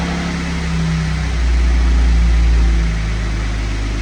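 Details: Jeep 3.6 Pentastar V6 after failed rocker/lifter repair: deep, smooth, steady hum with no valvetrain ticking or knocking; idles evenly and sounds healthy after the repair.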